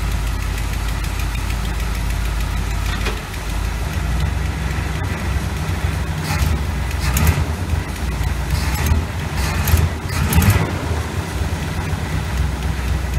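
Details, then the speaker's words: 1986 GMC with small-block 400 V8 and Edelbrock carburetor: deep, loud rumble with puffing, ragged pulses rising and falling with throttle; new exhaust not yet welded together leaks at joints, causing some smoke. "there's a lot of exhaust leaks in it people that's why it's smoking up a little bit that's coming up it's got new exhaust but it needs welded together"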